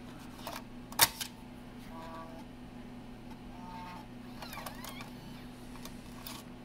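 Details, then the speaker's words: Macintosh IIsi floppy drive during restoration, blank disk inserted: quiet hum, sharp snap, soft whirring clicks and final clatter as the disk is taken and ejected; drive normal. "And the eject gear's not broke, at least not the process of degrading yet."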